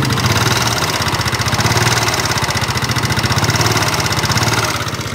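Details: Yamaha NMAX scooter idling roughly with a fast, steady clattering knock; before teardown the mechanic suspects loose valve clearance, a slack cam chain or its guides, or a worn connecting rod.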